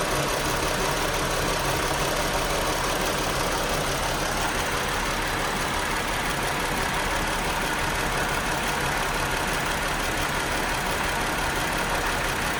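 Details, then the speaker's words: 2018 Chrysler Pacifica after battery replacement: normal idle for about 10 seconds, then an uneven, chugging rough idle with a flashing engine light. Code P0300 multiple-cylinder misfire; cause unconfirmed. "after about um 10 seconds of a normal idle um I started to notice a chugging in the uh in the idle and um I knew that something was wrong"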